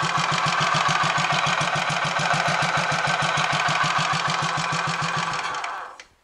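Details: Royal Enfield 500 Machismo electric-start single, after fix of starter noise caused by a wrongly oriented oil-holed spindle: even thump about three and a half beats a second, no starter clatter, then stopped via decompressor, cutting cleanly and dying away; normal running.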